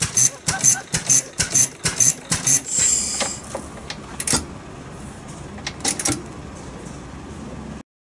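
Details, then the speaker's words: Very old Taishō-era Kubota stationary engine, unmodified. Sharp, loud cracking bangs come in quick succession from the exhaust as unburnt gas collected in the large muffler ignites: exhaust afterfire. "このマフラーにたまった未燃焼ガスが爆発するわけです"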